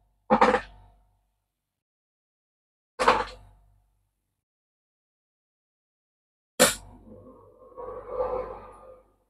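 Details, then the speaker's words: Vpcok Direct countertop ice maker, measured about 60-65 dB running from mid-room: three sharp clatters a few seconds apart, the last with a short rattle and tumbling, about 80-90 dB during the drop; cubes dropping normally into the bin. "Ça reste assez silencieux, même quand les glaçons tombent, on monte à 80-90 décibels, forcément le temps de la chute, mais ça reste très très silencieux."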